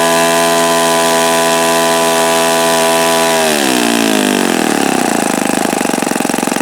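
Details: O.S. FS-48 Surpass four-stroke model engine on a prop, bearing health check: clean, steady high buzz reaching high RPM, sagging lower and roughening as the mixture is richened after knocking; no grinding or rumble, bearings sound healthy.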